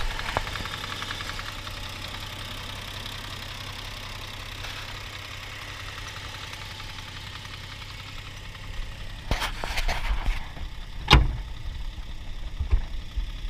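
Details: Knock at idle on a fully warmed Toyota 1G-FE engine (Altezza / Lexus IS200): faint, regular light knock from the front of the engine, under the timing cover; owner suspects the VVT coupling.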